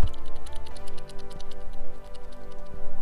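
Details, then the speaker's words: Lexus IS250 with alternator failing after nearly four years; old serpentine-belt tensioner pulley, removed and hand-spun, rolls with gritty uneven ticking and faint metallic ring; both bottom tensioner and idler pulleys were noisy, worn pulley bearing. "the bottom one's the tensioner that's the idler they're both making noise"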